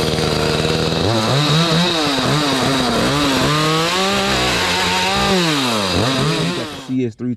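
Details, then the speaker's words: Echo CS310 chainsaw two-stroke after carburetor clean and tune-up, cutting pallet wood without choke: crisp revs rising and dipping cleanly under load with no bogging or stumbling; normal running under load. "Echo running good uh cutting everything's hitting"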